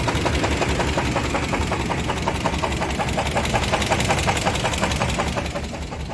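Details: 1998 Chevrolet Sierra 350 V8 after spinning rod bearings on White Bird grade, restarted after cooling down: steady hard metallic knocking about three per second over rough idle, lifter-like; pan removal found one rod bearing burned blue, another loose. Rod knock.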